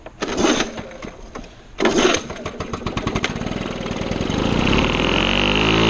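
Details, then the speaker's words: Circa 1975 Lawn-Boy two-stroke mower on mixed gas, air filter missing: two pulls, then fires and runs ragged with speed surging and sagging, rough running with RPM hunting, cause unclear. "we want to take it elsewhere because it is running rough and I don't want it fling all kinds of crap at my house"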